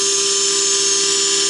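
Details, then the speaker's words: Belt grinder tracking wheel after the fix: bearing tapped in about 0.030 from the wheel edge to stop race rub, at 7,900 surface feet per minute with no belt tension change. Steady high whine, even hiss, no scraping; runs well. "so i tapped the bearing in about 30 000 away from the edge of the wheel and that seems to have done the trick running like a champ seven thousand nine hundred surface feet per minute"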